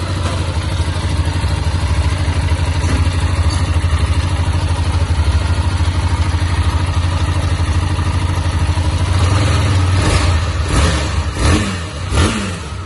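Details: Yamaha XT 660 single-cylinder after engine teardown for a strange pin-like knocking noise, repaired: steady idle with a few clean throttle blips, no knock or rattle; sounds healthy.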